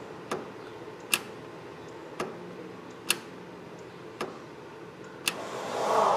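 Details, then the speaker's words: Suzuki Vitara with EVAP fault code, canister vent valve (original discontinued) clicking cleanly as it opens and closes during testing; normal operation. "so it opens and closes"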